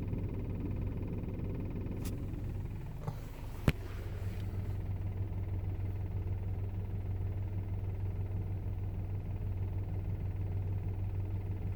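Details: VW Golf Mk5 GTI petrol engine at idle, 200,000 km, with a low, uneven knock of about two beats per second under the hum; cause unknown.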